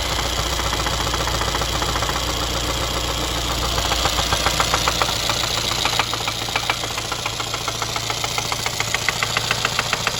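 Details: 2017 Mercedes M270 2.0 petrol engine at idle: steady, sharp knock repeating about three to four times a second; engine knock.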